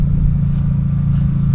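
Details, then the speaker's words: Mazda Miata revving after a roughly $2 fix that got it running again, with a larger, heavy battery refitted: strong, even low rumble with steady firing and no knocks or misses; the engine is healthy. "come on give me some revs I just that sounds so good oh I miss this car so much"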